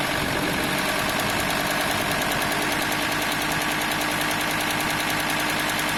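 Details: VW T4 2.5 TDI (AXL) diesel: hard, rapid machine-gun rattle steady over the engine at the serpentine belt area, only at 1050-1100 rpm; probably the belt tensioner pulley, not confirmed.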